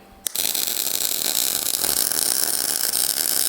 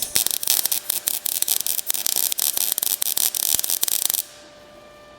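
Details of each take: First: MIG welding heavy wall tube and 3/16 in plate for running boards on a 1956 International COE truck, run hot: steady even crackling sizzle about three seconds, no pops; wire speed and voltage in sync, good weld. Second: MIG welding thick steel running-board supports on a 1956 International COE truck frame, set hot and fast: harsh irregular crackling and popping where a gap in the joint is bridged, softer once filled; crackly weld from joint gap.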